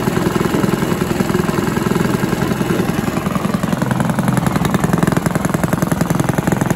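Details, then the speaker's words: Villiers 10 petrol engine on an old Barford cement mixer, no choke, steady even single-cylinder putter with regular firing beats, no misses or knocks; compression not excellent, fuel seems to run through with tap off; normal running. "oh that's running that's good that's the stars you can hear that running maybe one of the easiest engines i've ever come across i wouldn't say the compression's excellent on it"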